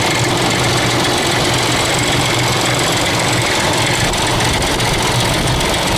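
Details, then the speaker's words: 2000 Ford Expedition 4.6 V8 at idle in the garage: a constant clicky-clacky metallic rattle like marbles in a can, the timing chain slapping the housing. It has worsened over about 6 months and stops when the engine is shut off. "you can hear this clickey clacky noise sounds like marbles in a can or whatever common chain is slapping against the side of the housing"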